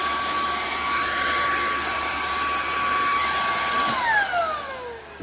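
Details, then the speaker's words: Bissell ICONPet Turbo cordless vacuum, fully charged, canister emptied, rear filter checked: even high whine holds about four seconds, then the motor winds down on its own; intermittent cutting out, cause not confirmed. "it just goes off. And on again. And it won't go on. And on. And then it just goes off."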